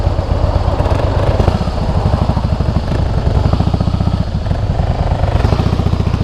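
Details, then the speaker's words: 2008 Harley-Davidson Softail Heritage with Screaming Eagle exhausts; lumpy V-twin beat with dry metallic, iron-like clatter and vibration only when downshifting, absent at higher speed; primary drive noise. "o barulho ó tou reduzir aí você sente a vibração toda parece um um ferro e só faz quando reduz"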